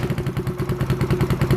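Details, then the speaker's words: Yamaha Zuma fitted with a 158cc big bore kit, just started for the first time after the rebuild. Slow, loping, uneven thumps barely hold on; the idle is really low and the owner wonders if it needs to warm up. "oh there we go okay so it sounds like it's running but the idle is really low"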